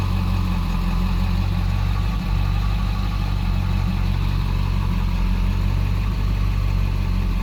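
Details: Deep, uneven idle from a 7.3L diesel with E4OD transmission (code P1748) where some firing pulses sound weaker; misfire occurs even when the code is not present, cause not pinned down.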